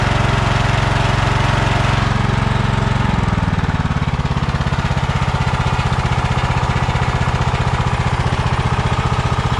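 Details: Kohler Courage 20 hp on a Craftsman DYT4000, inlet line filled with fuel to the carburetor: drops from a fast run to a quick, even putter of about four beats a second, a smooth runner. Normal idle.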